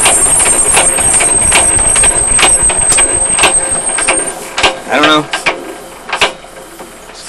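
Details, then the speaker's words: Single-cylinder Lister (Powerline) diesel thumping unevenly with heavy shudder from startup, then winding down, worse even after the fuel system was drained and refilled with fresh fuel. It once ran smooth at first; owner suspects the injector pump or injector. "Used to start smooth and run rough, and now it pretty much just runs, as you see, pretty rough right from the get-go."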